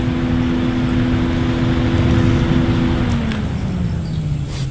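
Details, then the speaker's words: Loud whoosh with steady low hum sagging slightly in pitch near the end: a so-called silent PC case fan running with the microphone right up to it, for comparison with a Swiftech Apogee pump; normal fan. "and now you can hear that that's a case fan then three or four feet away - really can't hear the microphone right up to it sounds really loud"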